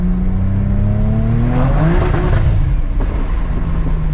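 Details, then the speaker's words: BMW N54 with DAW Flow Max+ on the base map, second-gear roll-on at about half throttle: engine note climbs smoothly with turbo whir as boost builds, then stops and cuts back sharply; rev limiter hit. "We've got boost. That was the rev limiter. Holy crap, yes."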